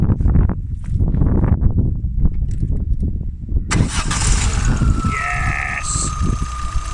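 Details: Lifted off-road Peugeot 306 Meridian 1.6 8v TU, FWD, after a wiring plug was repaired and refitted: uneven cranking and chuffing for a few seconds, then it catches and settles into a steady run; starts normally now.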